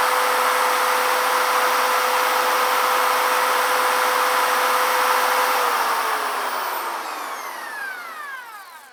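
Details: Porsche 356 engine pulled over a strong vibration near 3000 rpm; its cooling fan is drill-spun through a hose coupler at 2000+ rpm, engine loose on a jack: steady whirring tone holds an even pitch, then winds down smoothly, no knock or wobble; the fan runs true.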